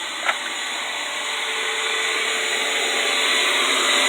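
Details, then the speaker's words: Curbside-found Durabuilt pressure washer running for a couple of minutes: steady high-pitched motor whine, smooth and even without knocks or grinding; motor runs normally. "there it is somebody threw away this door built steam cleaner and as you can hear the motor seems to run fine"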